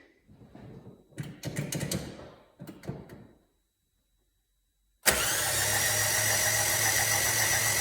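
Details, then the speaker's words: Rover 75/MG ZT 2002 suspected damaged engine, spun on starter with spark plugs out and fuel pump fuse removed; even, steady whirr with no knocks or scrapes, nothing out of the ordinary: normal cranking. "at least I couldn't sense anything out of the ordinary"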